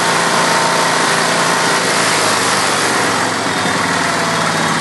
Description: Kohler K321 in John Deere 314 recently rebuilt, but makes a rattling sound and misfires occassionally